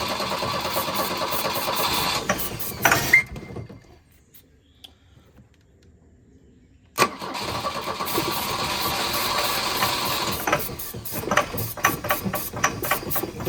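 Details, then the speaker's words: Volvo 242 abandoned in the woods: engine fires, stumbles, dies, restarts and runs unevenly, no knock; owner thinks it needs carburetor work and fuel, cause unconfirmed. "That doesn't sound good. So, I mean, it runs. It just needs... It needs carburetor stuff and fuel and all the things."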